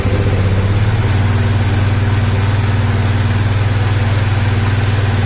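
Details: Polaris Sportsman 570 single-cylinder, first start of build, airbox lid off, oil lost from an untightened cam chain tensioner and topped up with T4; fast, even idle thump with a loud hollow sucking intake sound, slight smoke. Owner unsure if the missing lid causes it.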